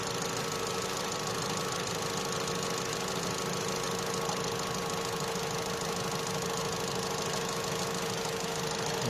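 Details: Opel/Vauxhall Astra J 1.4 after new spark plug and ignition coil for a cylinder 1 misfire: steady, even idle with no stumble or skipped beats; misfire counts now zero on all cylinders.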